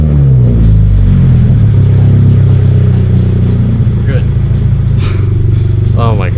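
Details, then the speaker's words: 2022 Subaru BRZ with Tomei Expreme Ti catback exhaust, after fixing its earlier problems, light rev late at night: deep, steady exhaust drone, smooth and even with no knock or rattle; healthy exhaust note. "god it sounds so good yeah um i'm gonna rev it real quick"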